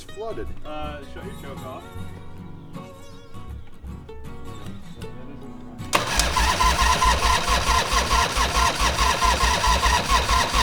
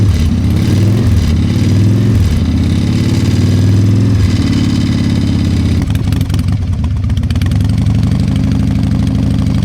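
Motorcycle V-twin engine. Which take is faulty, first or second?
first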